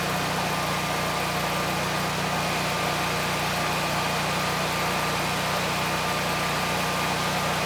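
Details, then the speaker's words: Generac 20kW standby generator (model 0058751) with a replacement GTH-999 999cc engine (0H4653), running under load: steady, even engine drone at constant speed with no knocks, misses or surging. It runs smoothly and makes power. "It sounds good and we're still making power."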